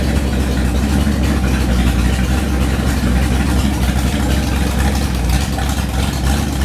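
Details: Freshly rebuilt 1970 340 V8, .030 over, 10.2:1 pistons, Comp cam 525 lift 289 duration, Edelbrock LD 340 intake, J heads with 2.02/1.60 valves: deep, steady idle with even lumpy rumble from the big cam, no knocks or misses; healthy.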